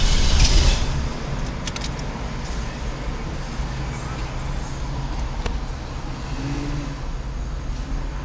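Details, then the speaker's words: Car that won't start: starter spins steadily at about three and a half beats a second but the engine never fires or catches; owner suspects it is flooded. "That's what it's doing that. It's flooded out."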